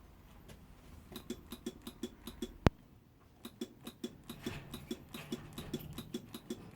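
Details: Honda NSR motorcycle that bump-starts fine but won't start on the button, rectifier already replaced: steady light ticking about three per second, one sharp snap, no cranking; starter ticking with no crank, cause unknown.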